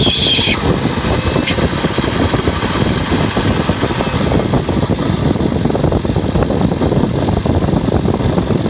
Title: Strange engine noises